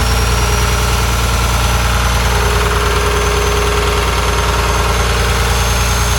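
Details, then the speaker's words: Rebuilt diesel engine of a John Deere 850J dozer on restart after a second teardown to cure a slight tick: deep, even idle at a steady beat, good oil pressure, no clatter or knock; sounds better. "all right try again it sounds better I can hear it already got a good oil pressure"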